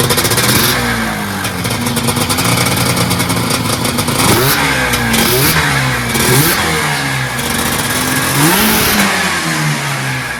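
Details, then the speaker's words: 1980s fan-cooled Yamaha race snowmobile with a top-mounted fan, new fan bearings, a retensioned fan belt and an added 41 mm Mikuni carb, run without external mics: loud, crisp two-stroke blips rise and fall cleanly, no knock. Normal revving. "sounds healthy to me plenty of icy cold air coming from that fan too"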